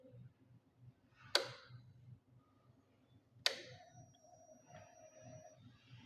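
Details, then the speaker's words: Hero Splendor Xtec E-20 (described as Splendor Plus 2013), fuel-injected, complaint of stalling while riding; after installing a new throttle body and reconnecting sensor, injector and fuel pipe: two ignition clicks, then a steady ~2 s hum of normal fuel pump priming. "Guys motor तो चलने लगा, अभी start करते हैं पहले।"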